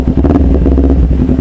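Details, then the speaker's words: Used Kawasaki Ninja 250 FI, throttle blipped to test response; throaty exhaust note stays steady and even, no stutter or popping, engine and throttle response normal. "kalau misal motor yang masih bagus yang mesinnya ya masih normal tarikan ini sama su E kenaput itu pasti bakalan sama guys responsif lah gitu ibaratnya kayak normal lah gitu"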